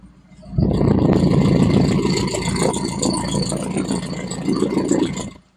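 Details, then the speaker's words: Lada Kalina 8-valve engine, runs on LPG and gasoline, poor cold start, microphone on the engine: uneven, wandering idle with irregular pops and shots; misfire, cause still unknown before diagnostics. "є якісь такі простріли зараз бу дивитися діагностикую спробую знайти що це таке що це довбає"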